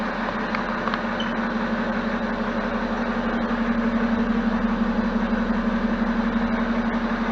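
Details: BMW E70 X5 diesel, first start after fuel filter replacement and fuel system priming: even, steady diesel clatter at idle with a smooth low hum and no stumbles or misses; idling normally.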